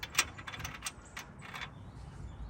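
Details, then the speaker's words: 2002 Chevy Express 1-ton bus: a front wheel bearing in the one-piece hub/rotor, turned by hand, gives uneven clicks and clunks. The grease is contaminated with rocks and dirt. "Hopefully in the video you can hear it clunking, but yeah."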